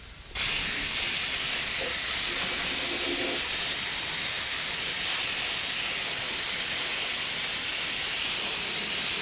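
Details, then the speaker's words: Air spray gun applying Fluid Film to truck suspension components in cold weather: constant even airy hiss after trigger release, steady with no sputter; normal air bleeding through the gun. "so if I do it like that I'll let off and it stops because the air is bleeding to here you can hear it"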